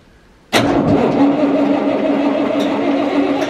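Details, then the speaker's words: Massey Ferguson 40 combine diesel, sat three years, after fuel system work and bleeding filters: sudden catch, then steady even diesel clatter; starts and runs cleanly. "all right come on [Music] okay it's alive"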